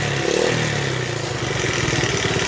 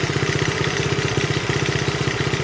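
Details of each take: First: 1971 Honda CT70 (Trail 70), nearly 50 years old, warming up: steady small-single idle with faint light ticking over the beat; valves need adjusting. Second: 1971 Honda CT70, nearly 50-year-old mini bike being revived: even quick four-stroke putter at idle, steady rhythm, no misses; valves beginning to be audible, needing adjustment; normal idle.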